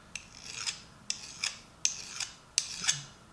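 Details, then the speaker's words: Nicholson file on the gear of an old US-made Craftsman 1/2-inch drive ratchet, used at least 15 years: four slow back-and-forth strokes with a crisp biting rasp, not a glassy skate; the gear is soft, unhardened steel. "I tell you the truth, it sounds like it's cutting. It sounds like we're actually cutting. I don't believe this doesn't feel like it's really hardened."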